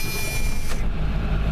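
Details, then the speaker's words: Ford F250 7.3 diesel just after its faulty glow plug relay was replaced: it starts and settles into a deep, even, steady idle with no misses. Engine running healthy. "there we go that right there is a dieseling engine alive and well oh yeah well looks like the Ford is uh up and run at the end so that's awesome"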